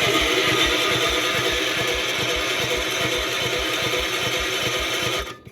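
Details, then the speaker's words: Gravely 812 tractor with manual choke on, after its loose battery terminal clips were refitted: the starter cranks steadily at about three turns a second with no firing, because the temporary rigged ignition wire was still on in place of the coil. "Oh, wait, stop. I forgot. Turn the key off. I forgot we had this rig ignition on here, the redneck ignition. So I got to take that wire off and hook the coil back on."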